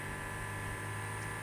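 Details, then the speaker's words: Electric lift fuel pump on a Chinese diesel mini excavator at 36.8 hours, after a spider nest was found as the problem: quiet steady hum with faint high whine and soft gurgle, pump running normally and pulling fuel, level rising. "yeah it's pulling fuel see that level going up"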